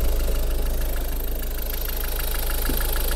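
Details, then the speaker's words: Used Ford Focus (third generation) engine at idle during pre-purchase inspection, recently washed engine, slight intercooler oil seep, some soot past turbo: even regular idle with smooth low rumble, no tensioner pulley whistle; engine runs normally. "То есть он ролик не слышно, чтобы свистел, но мотор в полну, в принципе, работает нормально."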